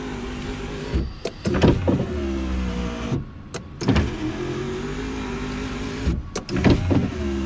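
Motor hums evenly through each two-second travel and ends with a firm thump at the stop; window mechanism running healthy.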